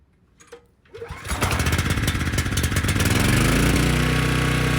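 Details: Briggs & Stratton Storm Responder generator, previously non-running with compression, after carb cleaning: pull-start, fires within a second, settles into a steady, even drone holding a 3000 W load; cause was a dirty carb; normal running.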